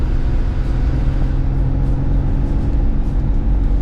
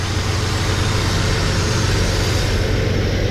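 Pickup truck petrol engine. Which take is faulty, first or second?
second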